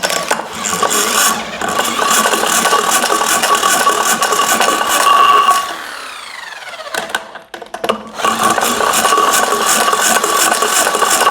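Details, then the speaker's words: Fiat 126p air-cooled twin with low compression, carburetor filled with 92% denatured alcohol instead of petrol, cold: catches and runs a few seconds with uneven rattly beat, then dies; starts then stalls. "ciekawe no pali i po chwili gaśnie jeszcze raz ale jest taki zapach denaturatu"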